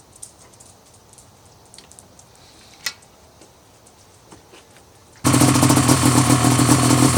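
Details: Rotax 700 two-stroke snowmobile engine after teardown to pack the crank bearing: after a quiet start it fires up crisp and even with a steady buzzing drone, no knocking or rattles; runs good, no leaks.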